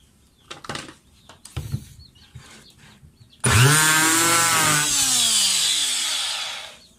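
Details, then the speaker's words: Electric planer after repair, belt reconnected: spins up fast to steady high whine, holds about three seconds, cuts off cleanly; no more sparking, armature smooth. "yan guys hindi na siya nag-spark napaka smooth na ng pag-ikot ng armature niya"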